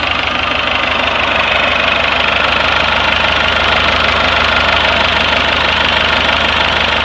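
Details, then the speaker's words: Rebuilt 4BT Cummins diesel in a Chevy K30 crew cab dually 4x4 with NV4500, first test run for a few minutes without water pump: even diesel clatter about three beats a second, steady rhythm, no misses; healthy, smooth idle. "I can't believe how well it runs it runs better than what I've got here"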